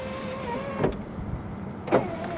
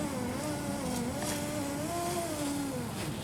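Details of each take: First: 2005 Jeep Liberty rear driver-side window after regulator replacement: a smooth, steady motor whir for about a second between two soft clunks at the ends of travel as the window goes down normally; the cheap new regulator struggles going up. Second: 2005 Jeep Liberty rear driver-side window, new aftermarket regulator installed: thin motor whine wavers and sags in pitch as glass climbs, down is fine; slow, labored power window going up.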